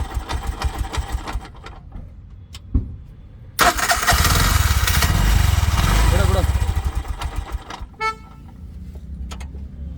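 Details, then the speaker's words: Bajaj auto rickshaw engine with an earthing problem, after tightening the loose earth-connection nut: starter catches quickly, engine revs hard a few seconds then drops to a steady putter; normal start after repair. "Just ಇದೊಂದು nut tight ಮಾಡಿದ್ರೆ ಗಾಡಿ ಸರಿ ಹೋಯ್ತು"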